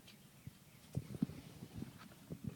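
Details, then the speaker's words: MKIII Toyota Supra no-start: turning the key gives uneven dull clicks and thumps with no engine turning over as all power cuts out, lights flicker; ignition switch and coil harness already replaced, cause unknown. "this is the sound that my car seems to make whenever I try to start it all the power goes out whenever I turn the key"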